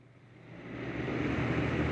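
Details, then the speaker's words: Baby Lakewood box fan model C-122X after cord splice, cleaning and oiling: soft, even rush of air swelling as the blades come up to speed, no rattle or motor hum. Running fine, like a wind tunnel. "i mean jeez it's like a wind tunnel so this will get put to good use"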